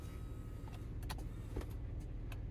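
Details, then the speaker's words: Audi 80 Cabriolet, 130k miles, convertible top lowering: quiet steady motor hum with a few latch clicks, smooth run with no straining; normal top operation, stops where it should. "right so that's as far as it goes which is normal"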